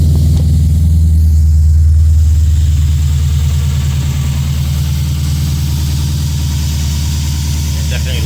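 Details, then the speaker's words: Lexus IS F V8 cold start just after an RR Racing air filter upgrade: deep, even burble at a slightly high cold idle, settling over several seconds, firing smooth and regular. Healthy, and louder than before. "Cold start, guys. Cold start"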